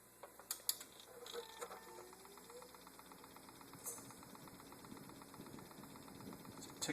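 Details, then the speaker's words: Maingear F131 desktop PC, previously quiet for years: light steady ticking, five or six clicks a second, turning to rattling just after power-on, from the rear area; persists with the spinning fan hub held stopped. "a ticking noise right now. Now it's changed to more of like a rattling noise."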